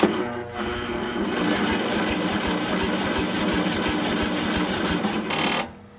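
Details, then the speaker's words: Briggs & Stratton riding mower: starter grinds over slowly with steady even ticks and a strained whirr, then drops off; compression seems present, a weak battery is suspected. "We're not cranking very quickly. It sounds like we have compression, just no battery."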